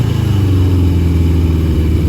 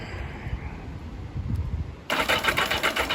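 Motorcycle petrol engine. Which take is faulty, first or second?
second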